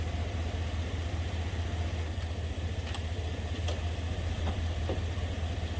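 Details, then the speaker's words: Steady low idle with a faint, slightly uneven puffing tick on a Ford Ranger XLT after final assembly of manual transmission repair; sounds like an exhaust leak, not confirmed. "just running maybe sounds like it's got an exhaust leak though"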